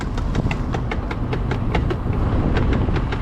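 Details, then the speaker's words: 1986 Ford Mustang GT 5.0, all stock, driving after a cold start: on lift-off a steady clicking knock about five times a second rides over the road rumble and tracks wheel speed. Cause is a loose wheel with the lug nuts not tight. "let's just make sure the wheel's tight. Try something in drum brakes, maybe. Oh no, the wheel is loose. All right, well, glad we heard that."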